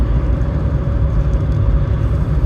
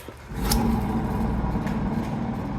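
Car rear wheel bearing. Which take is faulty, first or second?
second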